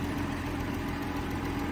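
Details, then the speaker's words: Allis-Chalmers D19 tractor, barn find that sat over 20 years, running off a temporary boat fuel tank: steady, even low idle with smooth mid-pitched drone, no knocks or misses; healthy idle. "so just put her out a boat tank but she runs really smooth so I am Tickle Pink with"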